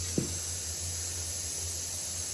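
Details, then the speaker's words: Radiator in an empty house with a boiler showing F1 (no pressure) and a reported radiator leak; it was gurgling. Steady high-pitched hiss of air escaping the radiator with no water following yet, so the radiator is full of air. "This one was gurgling, let's just see. Yeah, plenty of air in there."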